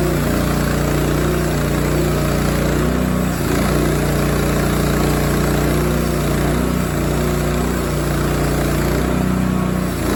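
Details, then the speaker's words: Rima sawmill cutting a 20 ft, 3 1/4 in pin oak slab, fifth cut on new blade: steady engine drone under load with a low rumbling note from the loud new bearing and faint intermittent squeal; owner suspects pulley slip from feeding too fast. "you can hear every once in a while it sounds like maybe the pulley wants to slip like you hear a little squeal and i know it's probably because i'm going a little too fast"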